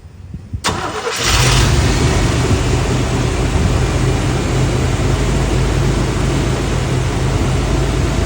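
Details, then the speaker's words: 1992 Chevy, formerly popping its belt on startup because of a hammer-deformed harmonic balancer, after replacing the harmonic balancer and water pump: quick crank, catches at once, steady even idle with no belt slap, chirp or wobble. "And if you notice on startup, it doesn't do that little wiggle wobble. It was all in this harmonic balancer, and if you look, the rubber does not really look bad at all."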